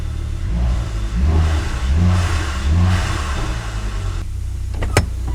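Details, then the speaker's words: Volvo S60R after head work to fix a burnt valve, with codes P1167 and P2135 present: the engine blips up and drops back cleanly with a deep, even exhaust note, no misfire and less smoke; it sounds much better than before. "there's definitely less smoke so that's good that sounds a lot better than it did when it had the burnt valve"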